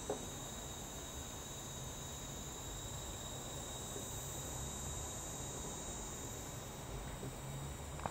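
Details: Sega Saturn power supply emitting a constant thin high-pitched hiss with a faint whistle on top, unchanging while running; power supply hiss.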